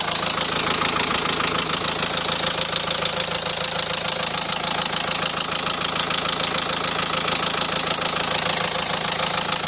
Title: Nissan NP200 1.5dci K9K engine knocking sound ... please help